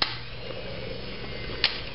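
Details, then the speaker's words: New replacement fuel pump for a 2002 Ford Focus (old pump dead, no fuel pressure), powered on the bench: steady, even low hum with no knocks or grinding; pump motor spinning normally. "and uh when I hook it up oh yeah you can hear it running listen to"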